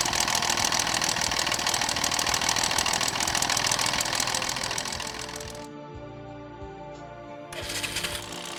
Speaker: this is a typical crankshaft big end noise it increases with an increase in engine RPM